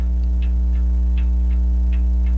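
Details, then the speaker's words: French crystal regulator clock, sold as non-running, open escapement with jewel pallets: light ticks every 0.35–0.4 seconds with uneven tick-tock spacing over a hum; slightly out of beat. "I'm gonna rotate this and put down the light and the microphone and that's it a little bit out of beat but I can work on that"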